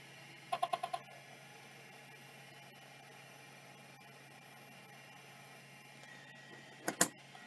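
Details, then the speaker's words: Vintage hard drive being power-tested: a quick run of five chirping head seeks, a quiet steady spin hum, then another seek burst. It seeks normally apart from the extended seek test. "other than the extended seek test that seems fine"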